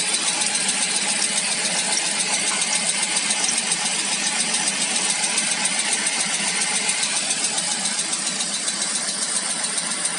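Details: ZMZ PRO engine at 11,277 km: light, sharp ticking at about two or three per second over a steady idle; top-end tick, owner hopes it is only a hydraulic lifter, cause unconfirmed.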